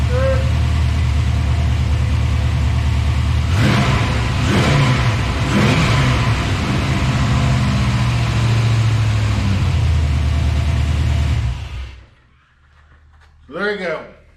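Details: 1994 Chevrolet Impala SS with LS swap after a no-start, fixed by replacing the crank sensor once fuel and fuses checked out: engine catches and settles into a steady, even low rumble with a couple of throttle blips, no misses or knocks.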